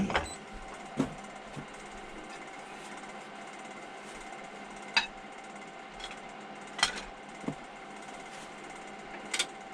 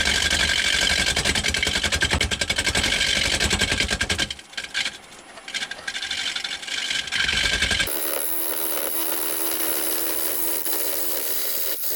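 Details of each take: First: Wood lathe roughing a square 6x6 cedar lamp blank, gouge taking the corners off: steady motor hum with sharp, uneven knocks as the gouge catches the corners; normal roughing cut on an out-of-round blank. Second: Wood lathe turning a square blank for a lamp: loud rapid chattering as the gouge hits only the corners because the workpiece is not yet round.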